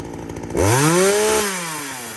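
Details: Poulan 2075C chainsaw (owner thinks 32cc, 16-inch bar) after a carb mod and tune, cold morning at about 15°F: the engine snaps up to a high, steady, clean scream, holds it evenly, then winds down smoothly. It runs normally.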